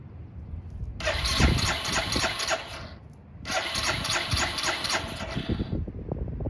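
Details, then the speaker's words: Barn-find 2005 Suzuki GZ250 with 950 miles, carburetor troubles, vacuum fuel petcock: two long bursts of cranking that chuff but never catch, because no fuel is coming from the petcock; hard starting from fuel starvation. "We gotta see why we're not getting fuel out of there."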